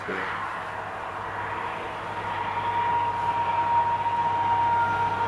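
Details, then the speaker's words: 1985 John Deere 212 that sat six months with diesel mixed into the gas, with a frozen choke: a steady cranking chug at about 3.5 turns a second that never fires. The owner wonders about a key switch problem or weak spark. "Interesting. I wonder if it's got a key switch problem. How good of a spark this engine's getting."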